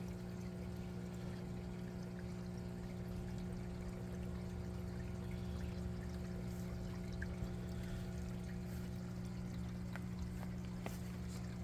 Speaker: It's flooding up the uh flood and drain bed right now. See the water going in? Beautiful.